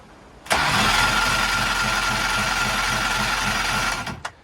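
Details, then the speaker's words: 225 hp outboard, checking spark on one bank: even starter chug about three and a half beats per second, no firing at all; that bank has no spark, engine lacked power under load; black-yellow wire check suggested. "so we're going to test this side even though i know it's not going to spark you're going to see it's just going to crank crank crank crank nothing's going to happen"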